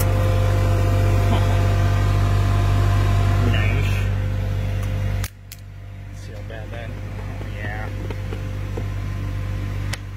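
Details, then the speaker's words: Dodge Grand Caravan with a complaint of poor AC: loud steady hum with a rough rapid whirr that drops away when switched off. The blower motor is worn out. "this is a dodge grand caravan that fan is shot"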